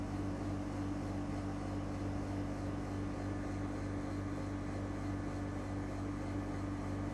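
Steady loud hum with a low drone and a constant whir, no change throughout; unit runs noticeably louder than it should.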